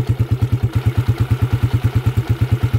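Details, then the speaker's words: Honda TMX 155 single after a full overhaul with original parts, valves set temporarily loose at 0.08 mm: an even idle thump around three beats a second with no knocks or rattles, smooth and healthy. A slight tappet tick shows only when revved. "Okay, ayan o, napaka-smooth. Napakaganda mga kabro."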